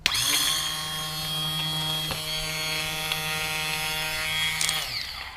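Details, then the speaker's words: A motorcycle starter tested on the bench, off the bike, jumped straight to the battery with the case grounded. It gives a steady high-pitched whir that spins up instantly and cuts off cleanly. The starter is good. "there you go it's a good starter"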